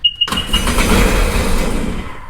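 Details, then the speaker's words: Sea-Doo Sportster Speedster jet boat after refitting original starter solenoid, before water hose hookup: short key beep, then loud rough cranking about two seconds without firing; cranks but won't start, probably flooded from repeated priming. "two key beeps it's probably so full of fuel because it's been priming so many times"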